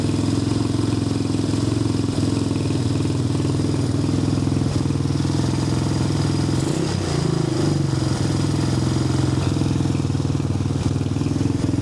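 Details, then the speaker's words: Apollo 250cc Chinese dirt bike after fixing no spark and a dead starter button: steady single-cylinder putter holding an even beat with no misses or knocks; starts right up and runs cleanly. "It's running good. Starts right up."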